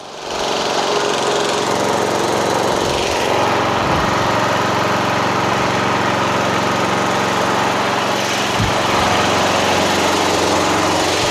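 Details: Yard Machines MTD lawn tractor repowered with Toro 12.5 hp flathead, hydrostatic drive, deck removed, safety switches bypassed, new fuel line, filter and battery: engine holds a steady, busy drone while driving, no misses, knocks or surging; runs normally.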